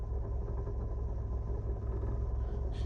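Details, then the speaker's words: 2018 Nissan Altima SR in reverse: heavy low rumble with uneven buzzing rattle from passenger side under the glovebox, also at idle and driving, fading in drive; cracked passenger-side engine mount. "Like when the car is idling and also when you're driving, you hear like uh you're already knocking and rattling sound coming out from that side. Also, when you go to reverse and the noise increases"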